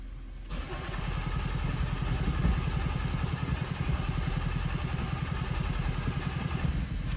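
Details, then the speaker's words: Toyota Auris diesel with crank-no-start and P1604 code, petrol in the fuel, cranking while watching rail pressure: steady starter churning for several seconds, then it stumbles and catches; there are worries about petrol damage to the injectors and pump. "waste there we go well almost hey she's running and hopefully that petrol hasn't done any damage to injectors are the fuel pump"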